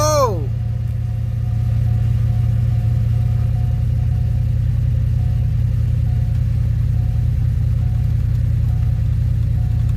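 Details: 2007 Pontiac GXP first start after head bolt thread repair (suspected head gasket or unsealed head after coolant loss): brief start whirr, then even low idle with steady pulse, no knocking or ticking.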